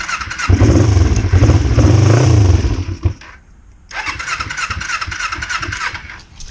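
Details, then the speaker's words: 2005 Kawasaki Ninja 250, cold, on choke, after a rebuild freeing a stuck valve. It cranks with a deep, uneven chug, stumbles, dies away, then sputters weakly before catching. Hard cold start. "All right, so on, choke it. Oh, she's cold. Wrong way with it."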